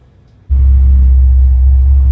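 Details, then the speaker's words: 1972 Chevy C20 pickup, 350ci V8 crate engine with HEI distributor and Edelbrock AVS2 650cfm carb, after new R44T copper plugs gapped to .050 cured the sputtering and rev-limiter-like cut-out near 3,500–4,000 rpm: starts at once, deep even rumble, no cut-outs. "But now with the 0.05 gap, it seems to be right. It's not cutting out, it's not jumping."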